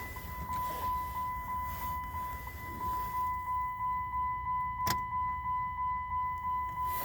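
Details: Vehicle after changing the engine computer, key not registered: even cranking about three turns a second under a steady ticking chime, never fires; crank no start because immobilizer does not recognize the key.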